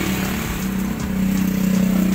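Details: 2001 Toyota Kijang diesel started without warm-up: steady, even diesel clatter with a firm low drone and no knocks or misses; engine runs strong and healthy.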